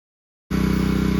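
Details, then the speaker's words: New Champion 3200 PSI 2.5 GPM pressure washer from Home Depot, started with water connected: fires after half a second and settles into a steady, even pulsing drone with no misses; runs fine, but soap won't draw up the hose. "Well, it's running fine, other than I'm not able to get the soap to go up through the hose like it's supposed to, so I don't know what's going on with that."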